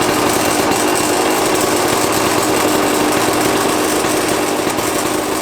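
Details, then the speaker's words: RM two-stroke dirt bike on first start after a top-end rebuild, at a buzzy fast idle with a harsh metallic rattle from the top end. Owner then found the two power valves not activating equally; cause suspected, not confirmed. "it didn't take me long to notice a metallic rattling sound coming from the top end you can hear it really clearly in this clip"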